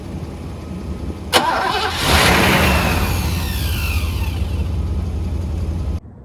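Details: 1985 Mercedes W126 SEC, restoration Part 1, left unworked about 2 years: starter churns steadily at about four beats a second, engine never runs, even with relay ports 7 and 8 bypassed; owner guesses fuel pump, possibly fuel pressure, unconfirmed.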